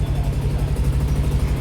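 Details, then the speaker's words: Yamaha Aerox with 62 mm bore, engine rebuilt elsewhere, new crankshaft, weak battery: fast sharp puffing tick on each firing pulse at idle; leaking exhaust header joint, needs slight throttle. "อ่าประมาณนี้ครับเนี่ยครับคอท่อมันรั่วนะประมาณนี้ครับ"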